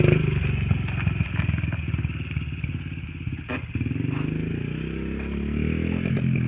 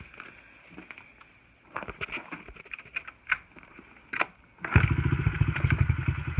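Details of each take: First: Honda XR50 pit bike with aftermarket pipe, hot from riding: uneven, choppy firing with a brief drop-out midway before picking up; sputtering returned after last night's carb clean, and the owner suspects the carb needs cleaning again. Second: Honda XR50 pit bike, gas turned on: quiet handling noises, then the small single fires up about five seconds in to a rapid, crisp popping idle that sounds healthy; normal running.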